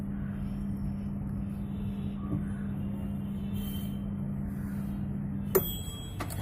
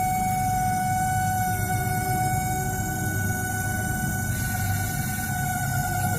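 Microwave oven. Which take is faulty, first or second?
second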